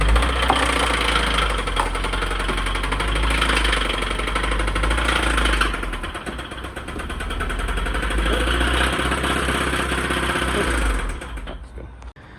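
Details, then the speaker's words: Stock Subaru WRX bought at auction as the knocking-engine car: rough idle with a regular knock about four times a second over the engine note; cause unknown. "She don't sound too good."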